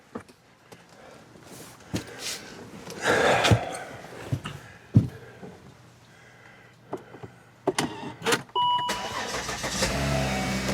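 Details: 2008 Volvo XC70 after catalytic converter and resonator replacement: a few clicks and thumps, engine starts and settles into a soft even idle, exhaust quiet with no rasp or leak.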